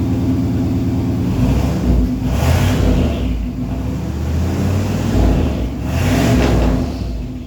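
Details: Vehicle "Rocky" with stock turbo, first start after fitting new TTA Performance 2.5" straight-pipe exhaust (no mufflers, no cat): deep steady idle with light rasp and gentle revs, quiet because the turbo absorbs sound, no knocks or rattles; normal.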